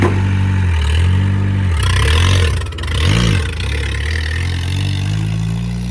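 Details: An old-model Mahindra diesel pickup, revived after what seems over two years unstarted: diesel clatter catches and holds, with a couple of smooth rev blips rising and falling. It idles evenly and the engine is healthy.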